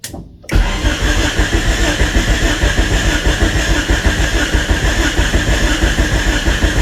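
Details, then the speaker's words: 1999 Honda Civic EK cranking with starting fluid to rule out injectors; spins over steadily but never fires; no spark, distributor not firing even after swapping coil and ignition control module, distributor believed dead. "So that didn't work. So I probably don't have spark. So we're going to have to figure that out."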